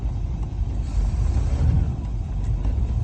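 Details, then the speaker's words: Engine just started, throttle raised slightly in neutral (gauge reading 3000 rpm believed broken, likely about 1000): deep, even rumble rises smoothly without stumbling; healthy. "okay what is that doing exactly just putting more you're giving more gas to the a little higher okay"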